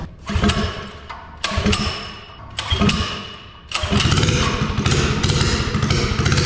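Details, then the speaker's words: Mini bike with Harbor Freight Predator 212 engine, bigger jet and new air filter: a few heavy pull-start thumps, then the single cylinder catches and settles into a steady, even run on choke; running normally. "That sounds so good. All right. It just need to warm up. It's running off choke now."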